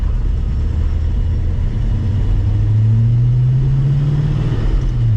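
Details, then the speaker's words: 1949 Studebaker Champion driven after 20 years in storage, seized drum brakes freed: low rolling rumble, then a low groaning drone rises through the stop as the rusty drums moan under braking. "you could probably hear the terrible rest in the brakes it's not great"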